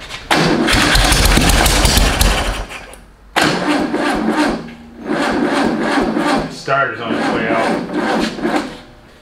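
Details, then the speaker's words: VW-powered custom tracked trike with a failing starter: starter grinding with ragged firing and sharp pops back through the carburetor before it catches; ignition timing off, fixed by adjusting the loose distributor. "feel like the uh timing's a little off it's backfiring through the carburetor"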